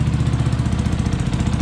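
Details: Yamaha MT 125 single after a fatal crash, first run after priming and reconnecting two wires, no cooling system fitted: steady, even low thumping with quick regular beat, no misses or knocks; runs cleanly at idle.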